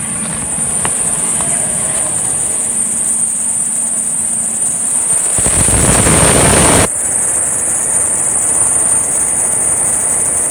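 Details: 2004 Ford Expedition 5.4L idling cold at -8°C: a thin high tone, then a harsh belt squeal swells and cuts off abruptly. It coincides with an alternator voltage drop and sometimes stops when shifting to neutral or into gear. Never happens above 0°C.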